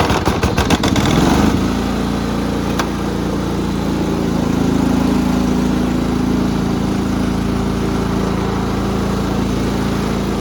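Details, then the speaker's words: Repaired Cub Cadet riding mower, 16 hp horizontal-shaft Kohler, after deck adjustment, already mowed fine: steady, even single-cylinder drone with no stumbles or knocks. Running fine, ready to sell. "i did some cutting over at my grandpa's with it and it did great so i'm gonna drive it around a little bit show y'all that it's uh ready to go"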